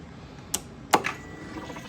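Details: 2008 Harley-Davidson FLHR Road King with a crank no-start, after fitting a fuel pump kit and new check valve line; a couple of clicks at key-on, then a faint steady high hum for about a second: normal fuel pump priming.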